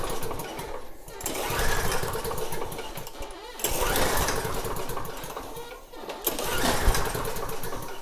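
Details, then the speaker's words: Snapper mower engine (same engine as a John Deere unit), pulled with the recoil three times: it spins briefly but never fires. No spark at the plug, which is wet. The no-start was traced to a grounded kill wire. "Let's check for spark. Aye. I don't see it. I don't see any spark. The plug is wet."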